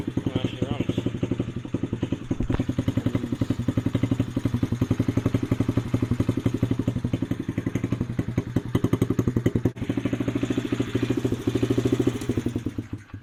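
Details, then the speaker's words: Honda CRF50 50cc single, dump find with a non-factory exhaust, idle turned up: it putters at a raised idle of about four beats a second and returns slowly; the throttle cable seemed to be sticking, and a vacuum leak is also suspected. "There's an issue where it revs up and revs down slowly, so it seemed like the cable was sort of sticking."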